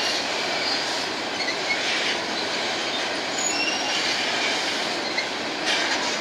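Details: Empty BNSF grain train led by two GE locomotives, heading to North Dakota at sunset: steady rail roar of passing freight cars with high thin squeals from a few wheels; wheel squeal.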